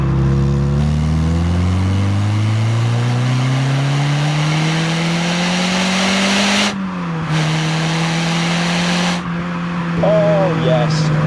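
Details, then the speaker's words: Peugeot 306 GTI-6 under hard acceleration in a speed limit zone, revving to 7,000 rpm: smooth pull, crisp shifts with short dips, no knocks or rattles; healthy engine. "revs all the way to 7,000, absolutely loves it."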